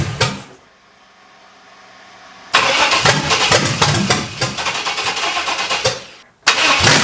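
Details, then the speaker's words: Junkyard Vortec 5.7L swapped into S10, first start after head swap, no coolant yet: cranks, runs ragged and dies at idle though firing on all cylinders and responsive to throttle; idle issue unresolved. "for some reason it's dying if I give a gas you hear me Revit it's responsive so I'm gonna have to figure out the idle issue"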